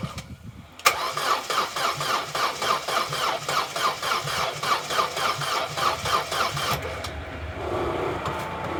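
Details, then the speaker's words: Vauxhall Corsa B left sitting 4-5 years, on one gallon of fresh fuel diluting old fuel: starter cranks at about four even beats a second for six seconds, slower than it should, never fires; crank no start. "it's turning over but it's not turning over as fast as it really should"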